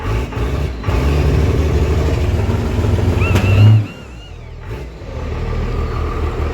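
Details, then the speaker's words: Diesel truck with MBRP exhaust; deep rumble as it catches and revs, a few sharp pops before settling; backfire on startup but runs. "she backfires but she does run"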